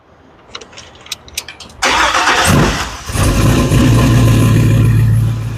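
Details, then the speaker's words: Engine cold start after its first oil change: the starter whirs briefly, the engine catches cleanly and settles to a steady, even idle with no knocks; oil pressure 38–39 psi, and it is harder to start warm. "Well, it cranks good on the cold start."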